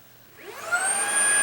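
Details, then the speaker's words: Shark ICZ362H Vertex vacuum, head-up switch tested fine: motor spins up to a steady high whine with no low brush thrum; brush roll not spinning, caused by a break in the wire. "okay the roller doesn't come on"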